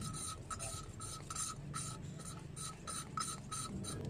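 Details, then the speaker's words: Hand-lapping a small Honda motorcycle valve with fine compound for about 5 minutes: even rasping strokes, about two a second, now fine and smooth rather than gritty. The valve is seating evenly and lapping is done. "Oke, bunyinya sudah semakin halus. Berarti sudah cukup ya."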